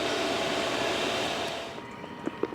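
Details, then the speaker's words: New 12V 5kW diesel heater in a van, about 10 minutes after start: steady, even rushing blow of fan and burner with no surging or popping, fuel pump ticking; smoke clearing, running normally. "right and after about 10 minutes the Smoke's starting to clear diesel pump still ticking away"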